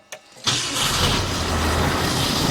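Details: Grandfather's 1966 Ford Thunderbird V8 after years of neglect and carburetor replacement, throttle unconnected: quick crank catches almost instantly into steady smooth idle, like a new car; normal start and idle.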